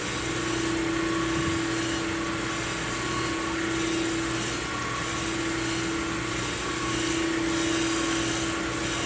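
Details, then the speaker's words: Plunge grinding a Ford 460 crankshaft journal, which was about one and a half out of round, to make a smooth spot for the steady rest. A continuous hissing sizzle over a steady motor hum, with a faint tone coming and going: the stone is in full contact. "i don't know if you can hear that start to sizzle is getting close there she goes right there"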